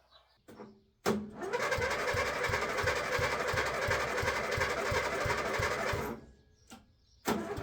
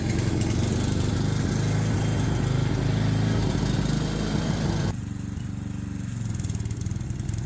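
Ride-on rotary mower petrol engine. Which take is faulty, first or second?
first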